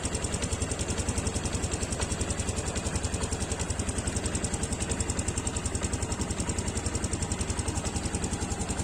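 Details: Yamaha Aerox scooter after replacing the water pump seal and bearing and topping up the radiator coolant: a steady, even idle with no squeak or whine, engine now healthy.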